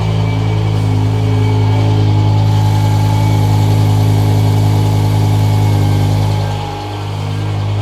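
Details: BMW M5 V10 after sitting a while, cold start to check a recurring malfunction (owner suspects a sensor, maybe O2): deep, even idle rumble holding steady, one brief soft dip, no hunting around 1,000 rpm; idle sounds healthy.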